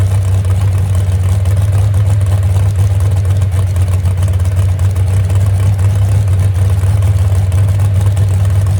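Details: Moonshiner V8 truck at its first start in 10 months, after an overhaul following a crash: a deep, steady idle with an even lope and no knocks or misses. The temperature gauge is not working and a radiator leak is suspected; normal idle.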